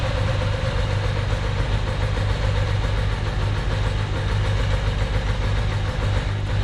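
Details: Ducati 750SS with Mikuni carbs at idle, idle mixture screws wound fully in from about four turns out (1.2% CO on gas analyser): uneven lumpy loping idle, running on one cylinder; lean idle mixture.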